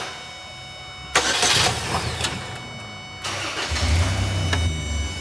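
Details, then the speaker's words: 2007 Pontiac G6 that had no crank and lost transmission control module communication, after jumping the poor TCM ground: cranking bursts, then engine catches and settles into a steady low idle with no misses; starting normally. "There we go. Right there. So, I was it was not making a good connection on the ground."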